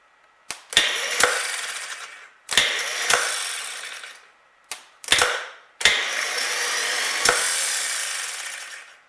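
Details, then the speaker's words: 1938 Buick Special straight-eight with a no-crank complaint, rebuilt starter tested at 6 volts: four short bursts of clean whirring, each starting with a click and spinning freely; much better than before, and old grease or oil may have hurt the starter. "So that's much better than we were getting before."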